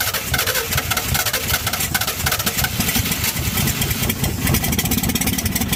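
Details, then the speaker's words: 1952 Chevy first start, fed through a fuel pump: the engine fires and keeps running with an uneven, lumpy beat and a raspy exhaust. It runs. "the fuel line to that pump put me a new filter in there and i could have something going there but she runs that's awesome that is really awesome"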